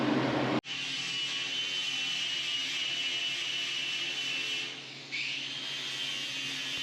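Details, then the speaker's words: MIG welding rust repair on a 1981 Chevy C-10 cab: steady crisp crackle like bacon frying, briefly broken then resuming; the correct sound of a good weld, needing to run a couple of seconds. "the same that's the sound you want to hear you want to run it long enough to hear that pop for two or two seconds"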